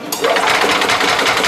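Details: Yamaha G2 golf cart with cleaned and reconnected battery terminals, battery not fully charged: fast, even chattering whirr as the starter-generator spins the engine steadily, no dragging or clicking; cleaned terminals pass current fine.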